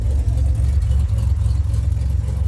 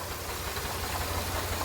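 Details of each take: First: 2007 Pontiac Grand Prix after ICM and harness replacement: starts and settles into a deep, steady rumble with an even beat and no misses, knocks or stumbles; runs much better than before, normal idle. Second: 2007 Grand Prix after ICM and harness replacement, still throwing crank sensor and EGR codes. A steady idle with a rough, rapid knocking undertone: an abnormal internal engine noise, cause not pinned down.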